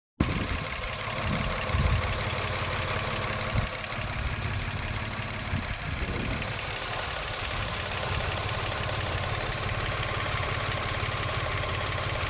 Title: 2021 Mirage rough idle? Engine bay.